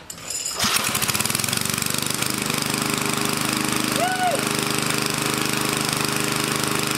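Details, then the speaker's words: Old Sensation cemetery mower, small engine, hard starting when hot: restarts hot almost instantly with a fast, slightly uneven rattle and visible smoke, so compression seems adequate; compression loss from worn rings suspected. "so it must have enough compression on because it started again usually if it gets hot and it won't start because it's losing compression you can see it smokes so it probably needs Rings it's old"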